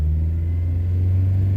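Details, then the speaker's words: Used car on a test drive, revved while idling with no check engine light: the engine holds a flat drone at 3000 rpm and won't climb; suspected limp mode, possibly from the mass airflow sensor or air/fuel regulation. "and it does not let you go past three and it just holds at three there's something going on with the mass airflow sensor or something that regulates the air with the car or the fuel"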